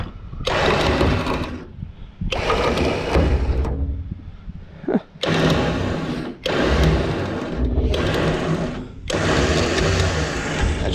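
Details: Repaired electric winch on gooseneck trailer pulling a tractor onto the trailer under load; five or six strong, even motor whir bursts, pulling steadily without grinding or stalling, working properly.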